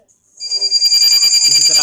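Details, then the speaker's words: Sukam inverter with battery connected and mains applied: shrill, rapidly warbling alarm, meaning a blown fuse, burnt fuse holder, or burnt circuit-board connector; fix is repairing the connector and fuse holder. "इसका मतलब फ्यूज़ पीछे से गया हुआ है या फिर फ्यूज़ का होल्डर जल गया या फिर जो सर्किट बोर्ड में कनेक्टर लगी हुई है कनेक्टर जल गई है।"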